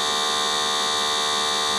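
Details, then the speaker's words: Printer head and cartridge service vacuum machine with upgraded box cleaner, just switched on, cleaning fluid circulating through the box cleaner: steady, even high-pitched electric buzz, no surging or rattles; normal running. "Nah itu keluar ya alirannya keluar dia masuk ke dalam bok cleaner nah ini sirkulasi ya jadi berputar cairannya berputar berputar"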